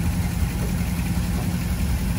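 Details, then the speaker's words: Crusader 8.1 petrol marine engine with aluminium marine transmission at idle, after fixing a misfire caused by loose spark plugs and cracked brittle plug boots: steady even rumble, hardly any transmission rattle. "okay we got our a1 misfire fix you can see there's hardly any transmission noise at all"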